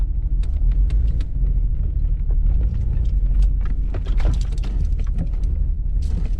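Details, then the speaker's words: 200-euro BMW E39 after a loud bang, running on only some of its 6 cylinders, driven with hard brakes: rough uneven rumble broken by sharp irregular bangs, barely pulling; engine misfiring badly, cause unknown. "It made a so loud bang that I got scared Coolant looks like all still there Why is it banging This thing is not running at all"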